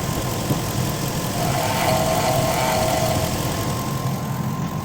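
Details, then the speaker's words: 2002 Infiniti Q45 after overheating (broken idler pulley, replaced, belt refitted): steady idle with a thin whine above the engine from the belt-driven accessories. Owner suspects the water pump; cause not confirmed. "the car overheated because the idler arm pulley broke but now the water pump has been making this noise"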